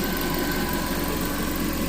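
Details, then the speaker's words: Reassembled car engine idling smoothly with an even low hum, no knocks or rattles, after wrong fluid in the radiator sent aluminum through the engine. "well it's running put back together for the most"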